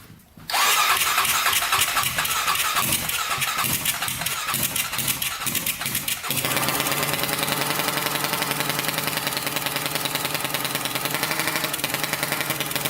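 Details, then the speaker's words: 1999 Honda 400EX quad, carbureted single, first start after adding a turbocharger; quick cranking stutter catches, then an uneven, lumpy run that never smooths out; owner unsure whether it is too much oil or not enough fuel; rough running. "is it too much oil are we not getting enough gas not sure"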